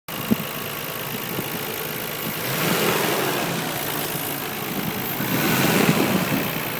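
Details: Nissan RB26DETT engine: light irregular knocking under idle, louder with each throttle blip; owner suspects a spun bearing, unconfirmed.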